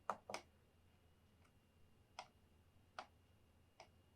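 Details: Casper Excalibur G900 laptop (i7 11th gen, RTX 3060 6GB) touchpad: five crisp, sharp clicks with quiet gaps between; a normal click. Light pressure also gives a faint click-like sound without registering, which support reportedly calls normal.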